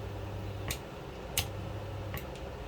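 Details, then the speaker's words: AC-powered solenoid valve with high but unbroken coil resistance, bench-tested: low coil hum and slight vibration, then a sharp pop as power is cut and the spring returns the plunger; valve working normally. "เมื่อตัดไฟออกนะครับก็จะได้ยินเสียงดังป๊อกนะครับก็คือพันธุ์เจอร์จะถูกดันกลับด้วยแรงสปริงนะครับ"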